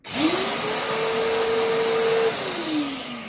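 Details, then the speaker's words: Karcher NT 70/2 Me Classic twin-motor professional vacuum, reported only one motor working: switched on, a single even whine spins up, holds and winds down with no second motor note; one motor not running. "включаем Да действительно один двигатель работает так второй а ну-ка может хоть чит не всё он уже отмыл"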